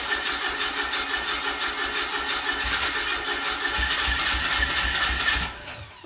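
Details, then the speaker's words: 1991 Mazda Miata Special Edition: catches and settles into an even, quick idle with a light whirr, no knocks or misses; oil pressure rises well, sounds healthy. "Almost. Wow, it jumped right into purring. Yeah, oil pressure went up nice."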